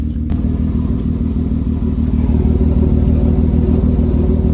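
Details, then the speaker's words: Saturn Vue on jack stands, one front wheel spun by the engine and revved: steady low droning hum with a repeating rumble growing with wheel speed, audible even at low speed; worn front wheel bearing. "I can definitely hear it even at low speeds."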